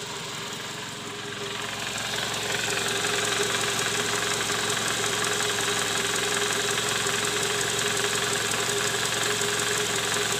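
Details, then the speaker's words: Toyota Camry 2JZ engine at 148,000 km idling, recorded from below: steady fast loud knock near the oil pan; balancer shaft bearings worn and scored, likely from balancer bolts not torqued to spec on earlier installation. "Hai nah disini terdengar bunyi keras terutama di bagian Karter oli mesin"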